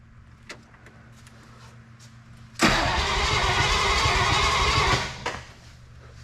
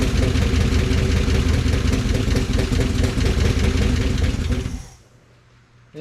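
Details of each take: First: 1955 DeSoto Firedome Hemi V8 stored for years, first start attempt: strong, even, brisk cranking for about two seconds then stops; starter sounds very good and turns the engine over well; oil, transmission fluid and coolant checked, coolant low. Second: 1955 DeSoto Firedome Hemi V8, first start after years in storage: rough low rumble runs about four seconds then dies as fuel is withdrawn, electric fuel pump not running; stalls without fuel supply. Externally regulated carb, bad blow-by noted.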